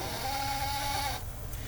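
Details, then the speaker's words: 1964 Cadillac Coupe de Ville, warm engine, while steering: drawn-out squeaky groan about a second long over low rumble; creak appears only when warm, not cold; source unknown. "this is also interesting the car only creaks when it's warm otherwise when it's cold and you steer it's all right but as soon as the car is warm it starts creaking"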